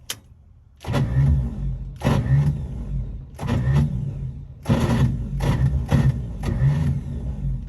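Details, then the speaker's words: Bagged 1955 Chevy, long dormant, with starting fluid sprayed in: half a dozen cranking bursts with no fire at all. The owner wonders whether it is pulling any fuel and tries closing the choke. "it's gotta turn it over it doesn't sound like it's firing though so what a what i mess up here"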